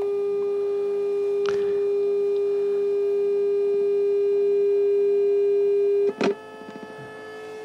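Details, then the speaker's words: Homebuilt FM test generator (Colpitts oscillator, 90/100 MHz, 400 Hz LF modulator, 25 H choke): with power removed from the LF oscillator board, a steady pure whistle around 400 Hz still remains on the unmodulated carrier, cause unexplained. "a pesar de haber quitado el oscilador de baja frecuencia se escucha todavía como un pitido"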